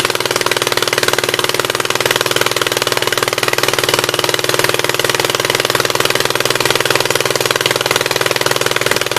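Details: 1976 Gravely 816 twin, first run on old gas, choke manually open: fast, choppy, uneven popping with a lopsided idle rhythm, running on the right cylinder only; owner almost sure the other side's exhaust valve is stuck open.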